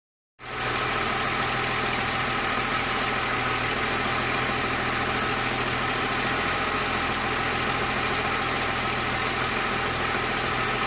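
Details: BMW S50 engine at idle with a busy, hissy mechanical chatter ticking three or four times a second from the top end; VANOS rebuilt 15,000 km earlier; abnormal engine noise, cause unclear.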